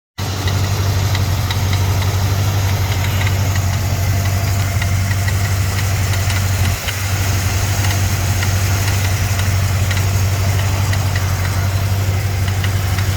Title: 289 rattle noise from fan area on cold start up.